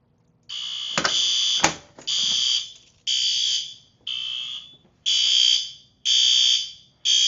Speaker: And it covers this area pretty well. In fact, it covers the entire first floor, which is kind of funny. You can really hear it from everywhere.